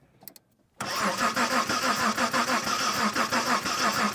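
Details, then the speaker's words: 1990 Mitsubishi Montero Gen 1 six-cylinder manual, cranking after a coil swap: starter spins steadily with no catch while fuel smell is present; crank no start. "I'm getting uh I'm getting nothing but let's see if I I can definitely smell gas terrible terrible gas"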